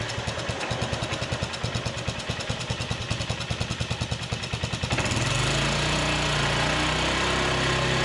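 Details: Polaris 300 Sportsman quad after engine rebuild, first start with the cleaned muffler refitted (soaked in a sonic cleaner). Even single-cylinder putt at about three beats a second, then a smooth climb to a steady higher speed. Smoky from residue, but breathing better; healthy.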